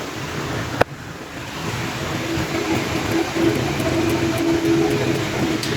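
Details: Vehicle that had a squeaking noise and check engine light, running after repair: one sharp tap, then a steady, even drone with no squeak or whistle; runs clean.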